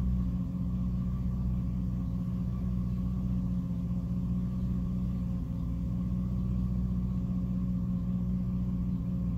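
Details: 2006 Jeep Liberty at idle with A/C off, low steady rumble with a brief sag and uneven beat midway; it randomly stumbles and nearly dies, cause unknown.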